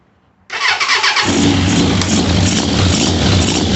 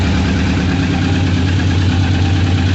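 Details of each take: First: 1998 Suzuki Katana 600, one cylinder running lean; started with little fuel, no tank; uneven lumpy exhaust beat, no clean rev rise; carb plunger not moving and feels weak, faulty CV diaphragm suspected. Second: 1998 Suzuki Katana 600 carbureted four-cylinder after new petcock and vacuum line, idling with no choke (previously ridden with choke on), warming up; steady even deep burble, no misses or hunting; normal idle.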